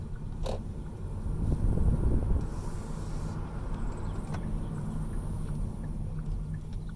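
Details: 2019 Hyundai Kona Electric at about 14,300 miles, first noticed around 9 months from new and getting louder: sharp isolated pops over a low rumble while the steering is turned, a front-end popping noise when turning.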